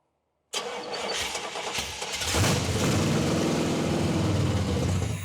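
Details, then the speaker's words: 1979 Pontiac Trans Am 403, first start after fixing crossed plug wires and distributor 180 degrees out: cranks, catches and settles into a loud, steady open-exhaust idle with an even beat; sounds healthy, ignition timing still to set. "Man, she sounds good. till she don't. But we can work with that. That's something to build on."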